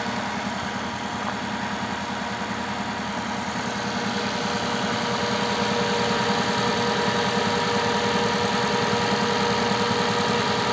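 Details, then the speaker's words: Car cold-started at -20°C, reflashed ECU software: steady even fast idle around 1400 rpm, injectors ticking, power steering quiet, no knocks or misses; normal raised warm-up idle expected to drop after about a minute and a half. "но довольно таки оборот сутки 1400 оборотов на это было у меня видео начать это дело я прошивал программным обеспечением это делал где то он должен в около минуты полторы поработать на повышенных оборотах а потом понизится"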